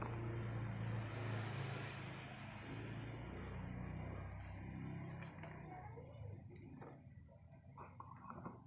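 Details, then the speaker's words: Krisbow S4210M paper shredder after repair of not-running fault, shredding paper into the bin: steady low motor hum with rough chewing texture easing as paper clears; normal shredding. "Oke, dia menghancurkan dan mengumpulkannya di dalam tabung seperti itu."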